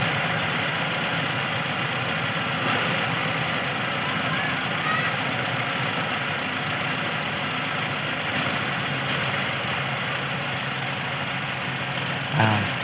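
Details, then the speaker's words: 1988 Toyota Kijang Super after carburettor service and ignition timing adjustment: steady even idle with no misses, hunting or shake, a constant drone; engine running smooth and normal. "Mesinnya sekarang berjalan halus. Halus, mesin tidak bergetar. Itu artinya normal, RPM bisa diturunkan sekarang."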